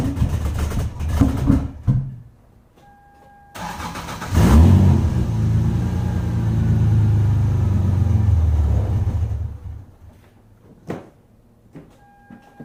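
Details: 1996 Lexus SC300 manual, 2JZ-GE: prior cold start with coolant temperature sensor disconnected under the intake manifold, starter churns in bursts, engine catches, runs unsteadily several seconds and dies; hard cold start, fixed by plugging sensor back in.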